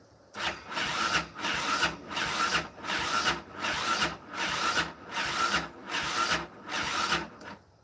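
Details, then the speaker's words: 2001-2006 Yamaha Raptor 660 cranking slowly and laboriously at about eighty strokes a minute, each rasping surge dragging through compression; compression reads only 80-100 psi, battery a little low, weak starter or low battery suspected. "A little low on the battery. So, I don't know, maybe we let our battery charge for a little bit and then come back and do this test, see if it makes any of the difference."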